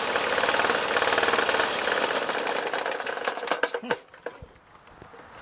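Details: Used lawnmower with a poor air filter and a worn blade: the engine putters roughly and unevenly about four beats per second, then stumbles, sputters and dies; it barely runs, cause not confirmed.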